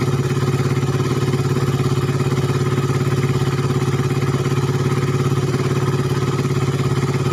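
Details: Suzuki Satria FU 150 cc after correcting a cam chain replacement with wrongly set timing (top): firm, evenly spaced firing pulses without stumbles or rattles; runs clean, whereas before idle was erratic, very rough, weak and fuel-thirsty.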